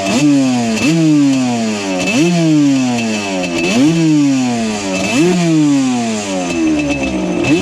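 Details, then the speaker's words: Yamaha Banshee two-stroke twin; carb air screw set to 1 turn, possibly a fake carb, both pipes hot. Repeated blips climb sharply then sag back, stumbling instead of pulling cleanly; off-idle bog, cause not yet diagnosed. "understand that right there. We definitely have an issue going on here."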